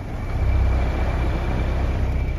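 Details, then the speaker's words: Broan 3-ton packaged gas/AC unit not cooling: steady whoosh of the ECM condenser fan with no compressor hum, contactor not pulled in; cap tube rubbed through and the system lost all its R-410a refrigerant. "compressor is not the contact is not even pulled in so the reason the condenser fan was running without the contactor pulled in is because it's an ECM condenser motor"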